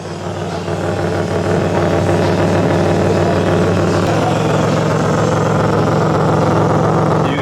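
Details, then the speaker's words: 2006 Chevrolet Impala 3.9L at idle, recorded underneath the car, rear cat-back section fallen off and tack-welded: loud raspy drone with an open puffing note; exhaust leak, fixed by installing a new cat-back system. "i want you guys to just listen to how it sounds once i turn the car on it's going to be a crazy exhaust leak"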